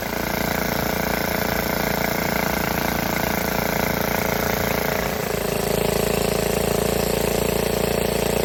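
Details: Vintage Donelson Mini Mule minibike, roughly 50 years old, after new fuel line, fuel shutoff, air filter and kill switch: small single runs a steady even putter then picks up smoothly to higher pitch, no misfires; normal running.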